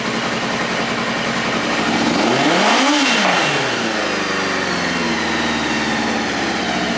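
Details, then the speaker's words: 2000 Kawasaki ZR-7 750cc four-stroke, recently tuned with carbs cleaned, new plugs and aftermarket exhaust, started with choke: catches and settles to a smooth even idle with a brief rising rev, no knocks or misses; starts and runs healthy. "um only reason I heard it is cuz I was revving it really loud in the garage and uh everything else works pretty good Electronics work good usually starts up on first try okay give a little bit more choke"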